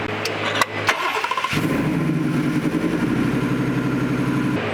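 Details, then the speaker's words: Coyote engine swapped from a 2018 F-150 into a 1965 Ford F250 4x4, idling uneven and lumpy after a short crank; number seven cylinder not firing even with a known-good coil swapped in, power reaches the coil, suspected bad coil driver or wiring. "you can hear if you unplug another one you can hear the engine change but not with that one"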